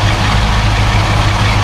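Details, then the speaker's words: 1972 Mercedes-Benz 280SE 4.5 V8 just after a right-bank (passenger side) valve adjustment for slight tappet noise, idling at about 1,000 rpm, heard from outside: steady, even, smooth rumble with no tapping; valvetrain quiet and healthy. "Let's go outside and hear what those tappets sound like. All right. Nice quiet engine."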